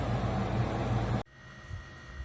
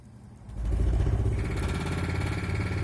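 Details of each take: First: Camper trailer radiator fan after fixing damage and fan shroud rubbing that caused out-of-balance vibration and racket; about a second of smooth, even fan rush with no knocking or rubbing. Normal running. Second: Trailer air conditioner/heat pump running on low, then high, after condenser fan blades were cut down for balance; steady low hum with uneven rattly clatter persisting on both speeds. The fan is out of balance and misaligned, striking its shroud.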